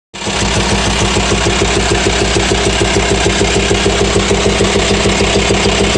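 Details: VW T5 Transporter 2.5 AXD diesel at idle with a sharp, even ticking knock of about three per second and a pulsing hose; teardown showed worn hydraulic lifters and camshaft, and the knock stopped after replacing them.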